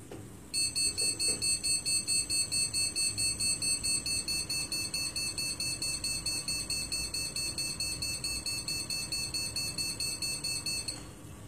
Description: During startup, the PC emits this series of short BIOS Beeps.